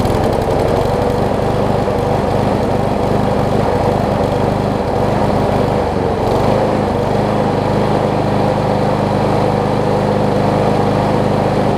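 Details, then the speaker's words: Old Gardenway-made Troy-Bilt self-propelled push mower running a steady, even note at constant speed with no surging or knocking; much better now mainly due to a near-new universal replacement blade. Normal running. "so so you can hear it's running a lot better now and that's mostly because i have the a much better almost new blade on it"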